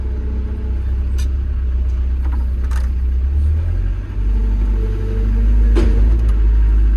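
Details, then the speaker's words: Develon excavator diesel running after service, clear dash, no error codes, new pilot accumulator fitted: deep steady rumble, even note, no knocking or straining; smooth hydraulics, healthy. "It's got a new pilot accumulator on here. So it's got nice smooth hydraulics again."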